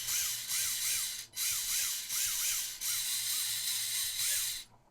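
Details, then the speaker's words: WLToys K969 1/28 RC car converted to RWD, small brushed motor visibly arcing and smoking, a little oil on motor bearings, diff loose: short bursts of whine swooping up and down with rough crackly hiss; brushed motor arcing from dirty commutator. "so you can see it's lighting up pretty bright in there I don't know if you can see that"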